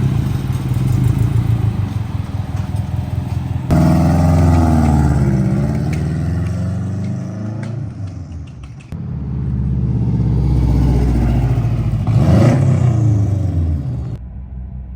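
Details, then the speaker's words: 2004 Subaru Forester XT revived from non-running with STI upgrades, being tuned: loud, raw blatty exhaust pulsing with revs, because the rear O2 sensor bung is open with no sensor installed, leaking exhaust. "incredibly loud exhaust is because we have a bung for rear 2 sensor that actually isn't in, so you can just hear the exhaust coming out."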